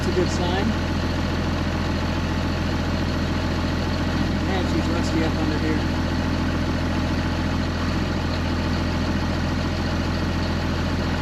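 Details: 2005 Ram 2500 diesel idling after the new FASS lift pump and fuel lines were fitted, with no fuel or coolant leaks seen: a steady, even, constant low drone with no misses, knocks or hunting. A healthy, normal idle.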